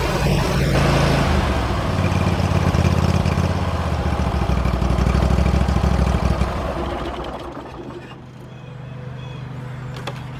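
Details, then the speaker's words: Hustler Raptor SD zero-turn mower engine after oil change (2 quarts), run about 20 seconds to fill the oil filter: fires and holds an even, steady drone with no knocks or misses; normal running. "start it up, let it fill up the oil filter, and let it run for about 20 seconds or so."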